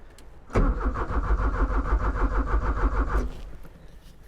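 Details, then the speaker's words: 1985 Porsche 944, off the road since 2013, cranks steadily about three turns a second for nearly three seconds but never catches; power reaches the fuel pump but the pump has failed. "Looks like power is getting to the pump, but the pump has gone kaput."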